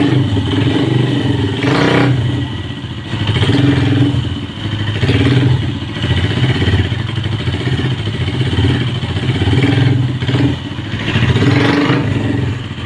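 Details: Hi Speed Infinity 150cc motorcycle after repairing play in the clutch box: clean idle with a few throttle blips rising and falling smoothly; the earlier strange clutch noise and any rattle or clatter are gone, engine and clutch normal.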